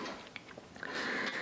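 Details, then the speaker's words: Used Keiser M3i indoor cycling bike: quiet room with soft ticks, then a thin high squeak about half a second long as the crank turns under load; owner is almost positive the pedals, probably old, are squeaking. "And I'm almost positive that squeaking noise is the pedal for sure. So these pedals are probably old."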